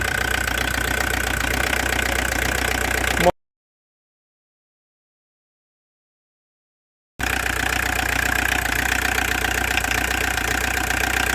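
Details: Old Audi diesel for sale: idle clatter with a slightly uneven pulse about three times a second; engine twitches a little, owner unsure why, possibly a leaking hose; cause not confirmed.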